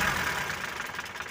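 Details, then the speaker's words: Mitsubishi Colt T120 pickup used daily for hauling sand and farm produce, engine running while the distributor (delco) is rotated to set ignition timing: at the right position revving gives a clean, even note with no popping or misfire and no knocking. "kalau pas gak napur teman-teman meskipun digas-gas gak ada suaranya enak teman-teman"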